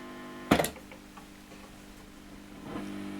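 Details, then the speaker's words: 1955 Fender Tweed Deluxe guitar amp on the bench: low steady hum under handling clunks; leaky or failing capacitors suspected, to be checked by bridging a capacitor to see if the hum goes away; DC on the pot also suspected. "that on is leaky electric capacitors or failing electricity capacitors we can check that quite simply by sticking a capacitor across there and see if the hum goes away"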